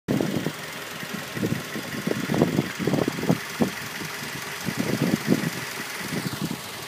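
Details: 2006 Mazda 3 petrol engine idling with irregular low thudding knocks above the steady run.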